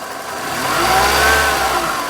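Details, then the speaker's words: Older car with belt-driven accessories, idling, microphone near the engine bay: rough whirring grind that grows with engine speed; found with a hose stethoscope, not the alternator, louder low and toward the front, AC compressor bearing suspected. "It sounds like it's kind of down and it's louder as you get up front. So I was thinking AC compressor, but you never know."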